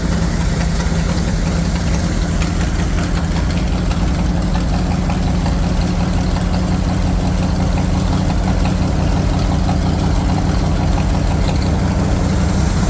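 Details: Chevy 350 V8 in a Wide Gauge Bombardier after a tune-up and an oil and filter change, with long-unchanged black oil drained: low rumbling idle at constant speed with a uniform firing beat and no knocking or stumbling; healthy engine.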